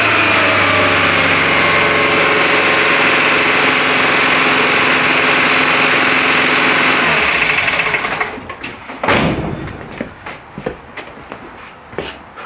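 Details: Renault Trafic, rebuilt junkyard C1J S 7000 engine unrun about 15 years, cold day, original cracked distributor cap: a steady but lumpy beat at about four pulses a second before it cuts out; it is misfiring on two cylinders because two plug leads are swapped.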